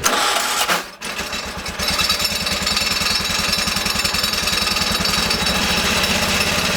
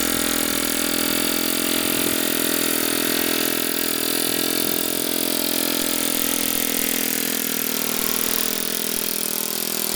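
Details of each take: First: Rebuilt Kohler K301 12 hp single-cylinder, first run after reassembly with new gaskets: brief stop, then fires into a steady, even thump with no misses; fuel pump later suspected bad and replaced. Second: Kohler K301 12 hp single-cylinder engine, first run after rebuild with new gaskets: steady chug at fast idle, slightly rough and uneven, running rich on choke, then cuts out, likely out of fuel; leaking fuel and possibly some oil.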